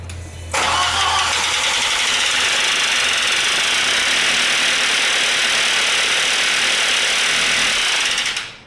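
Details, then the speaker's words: Audi B5 A4 1.8T at first start after a motor swap, just after fitting the coil packs. It idles fast with a gritty, sand-like top-end rattle that the owner says is not knocking. Dry cams are suspected but not confirmed. "Jesus. This thing sounds like there's fucking sand in it. I don't know if I want to run it like that. That sounds like shit. Well, I can't make it any worse, right? It doesn't sound like knocking, but it sounds like those cams are, I don't know, dry as hell."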